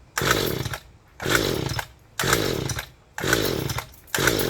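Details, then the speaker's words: Mantis tiller with freshly fixed recoil, choke on, gas added directly: steady pulls about one a second, each a rasping whir that dies away, never firing. Cranks but won't start; owner suspects weak spark, coil or flooding. "come on it's not firing with gas directly in the game does that mean i'm not getting a good spark"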